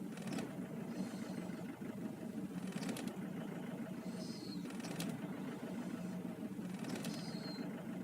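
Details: 2005 Nissan Pathfinder R51 diesel idling roughly on a cold morning start, with a sharp stumble about every two seconds; misfire only when cold, runs fine once warmed up; cause unknown.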